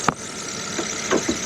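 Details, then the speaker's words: 2013 Chevrolet Spark at idle just after new coils and spark plugs were fitted and the check engine light cleared: smooth, steady idle with light clicks and squeaking belts, no missing or skipping; runs normally. Before the repair it lacked power. "it appears to be running okay it's not missing or skipping doing anything out of the ordinary"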